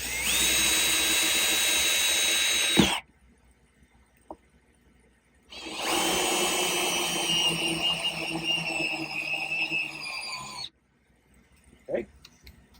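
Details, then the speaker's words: Drill with wood hole saw cutting a PVC board to make a drilling guide for an aquarium bulkhead hole: high steady whir under load in two runs with a pause, clean even cut, no chatter. "Now what we're going to do is we're going to use a hole saw kit. This is for wood, and we're going to cut our piece of PVC with this."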